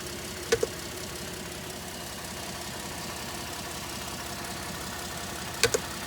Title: 2013 F-150 3.5 EcoBoost strange noise by the intercooler